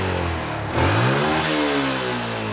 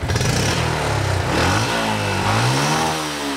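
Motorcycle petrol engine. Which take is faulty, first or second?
first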